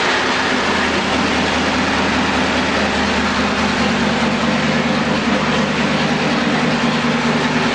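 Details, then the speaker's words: Vintage 1952 Ford Flathead rebuilt to 274 cubic inches with four-inch stroke crank and H-beam rods, run-tested on engine stand at about 1000 rpm, oil pressure about 60 psi: steady even low rumble, no knocks; normal idle. "oh here we go he's got it fired up we're sitting here Island uh about a thousand RPM the oil pressure about 60 pounds"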